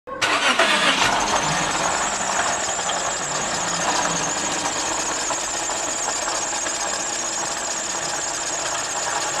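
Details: Toyota Zero Crown with a bad coolant leak that had overheated; a harsh, clattering knock starts right at start-up and continues at idle, suspected internal damage; engine knocking noise.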